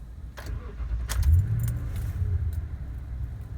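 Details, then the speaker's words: 2014 Toyota Tundra 5.7L V8 at 85,315 miles: short crank, then it catches straight away and settles into a deep, steady rumble; normal start. The truck otherwise cranks long when cold or after sitting. "okay we have eighty-five thousand three hundred and fifteen miles on this vehicle and this is how it sounds when you start it normally just"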